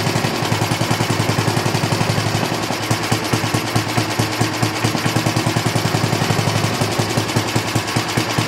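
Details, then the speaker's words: 1960s push mower single-cylinder engine after carb work, running with the air cleaner and fan shroud off, slightly rich after overfilling: steady, even popping beat with no misses or knocks, then winding down and stopping cleanly; running normally. "Good. Sounds good. Uh it's going to be a little different once the air cleaner is back on it in in the fan shroud because it's going to be have a little bit of drag."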